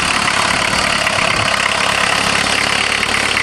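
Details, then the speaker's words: VW Jetta diesel-converted van with a mechanical injector pump, high kilometers, just started after hand-priming the pump; cold idle, steady with hard crisp clatter and little low rumble; running fine, just noisy while cold. "sure are noisy when you're cold"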